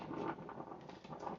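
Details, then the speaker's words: Steam dry cleaner after re-gluing a broken fitting, boiler warming up after plug-in: soft irregular bubbling patter before steam returns at the wand; normal gurgling while heating. "I hear it. It's making the gurgling sound."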